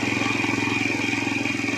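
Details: Chinese Jeling single-cylinder motorcycle engine, said to match Honda Astrea Grand, with oil seepage and hard starting: idle with quick regular diesel-like tapping knock on every beat, worse off throttle; engine knock, cause unconfirmed.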